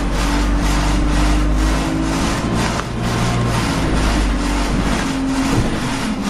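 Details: Arriva 1050 diesel with a loud ticking noise: sharp ticks about three per second, loud and persistent, over a deep diesel rumble; cause not yet found.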